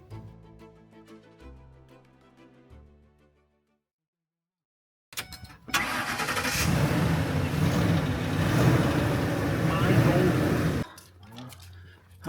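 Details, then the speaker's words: Vehicle that would not start, being tried with a portable jump starter unit: after a quiet stretch the starter cranks about five seconds and stops, engine never catches; cranks but won't start, cause not confirmed. "Now we're going to try and do vehicle number 2. Okay. You hear it? Will not start."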